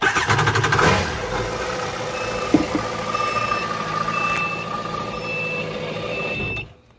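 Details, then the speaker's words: Waverunner jet ski that won't start, starter relay tested by bridging its terminals with pliers: starter grinds the engine over for several seconds then stops, confirming a failed starter relay that needs replacing. "And that's how you figure out if it's a bad starter relay. Now, if you did that and it started right up, or attempted to start like what I had happen, then it's definitely a relay."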